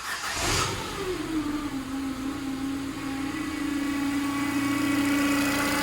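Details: Ford Fiesta 1.2, long stored, running with much unplugged: steady high-pitched whine over idle; owner suspects the timing belt, cover to be removed, source unconfirmed.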